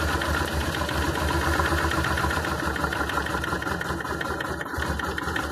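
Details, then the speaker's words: Honda Transalp twin, carbureted, idle mixture screw closed half a turn: uneven lumpy idle with irregular beats and stumbles, getting worse and even stalling; lean mixture makes the rough idle worse. "you see, when I'm trying to close half a turn, the problem getting worse. Even stop the engine."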